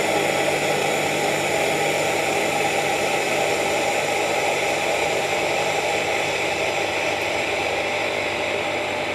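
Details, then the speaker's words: Gemilai 3006Z espresso machine with thermal block and vibratory pump, flushing the group for about 20 seconds after steaming to bring temperature down: steady rushing water over an even pump drone, no sputter; a normal group flush. "Right. I have to flash flash for around 20 seconds in order for me to bring the group."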